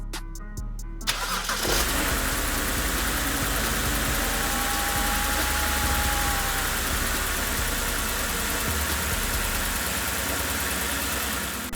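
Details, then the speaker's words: BMW E90 petrol engine starts and settles into a steady, even idle with no ticking after an exhaust leak repair with new manifold gaskets, manifold retorqued, O2 sensors reinstalled; car on jack stands. "so that's a wrap on our exhaust leak as you can clearly hear we finally got that under wraps"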